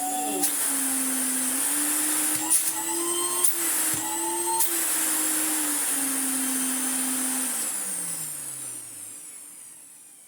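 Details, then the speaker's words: Electrolux Dolphin Z2220 vacuum after restoration, switched on; motor hums at a steady, even pitch with no roughness, then winds down smoothly when switched off; normal running. "we've heard the motor already so nothing really to look out there"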